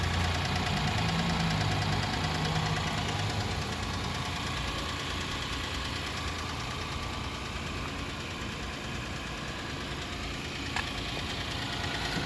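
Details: Diesel car engine at idle, noted alongside headlights that stay on all the time: a fairly regular knock of roughly three per second tapping over the steady idle without easing off. Engine knock.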